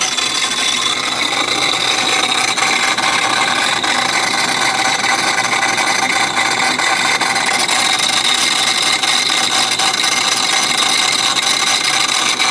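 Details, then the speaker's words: Modified car, noise began driving at 2,000 RPM: harsh steady high-pitched file-like rasp, very loud from the intake, RPM dependent; cause unknown, owner hopes something loose, fears block or head. "Very loud coming out of the intake. Parking it in the garage just in case it's broken. Hopefully it's just something loose. Nope, it's RPM dependent."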